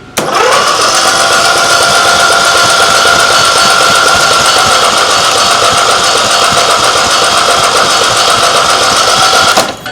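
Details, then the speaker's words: Small gasoline engine cranks with steady, fast starter churning and never fires; spark plug wet and gasoline-smelling, fuel line pinched off, owner suspects a sticking carburetor float; flooded engine, no start. "So, maybe it's just flooding. Oh, it was flooded. The float could be sticking, and yeah."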